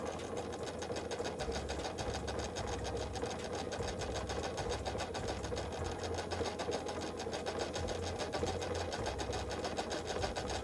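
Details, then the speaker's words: Restored VHS rewinder rewinding a cassette, with a shock-absorber-like lever that cuts off under load: fast, even whirring with light ticking about three per second, smooth, winding slows and stops cleanly without jerking; normal rewind. "யூசுவலா இந்த கேசட்ட நான் ரிவைன்ட் பண்ணும்போது கட்டாகி கட்டாகி வரும். மத்த ரிவைண்டர் போடும்போது but இதுல வந்து பக்காவா rewind ஆகி ஸ்லோ ஆகி நின்னுருக்கு."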